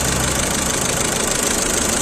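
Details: VW Vento petrol engine after misfire and pickup repair (cylinder 1 misfire code scanned, part replaced): idles evenly, with steady rpm and no misses or stumbles.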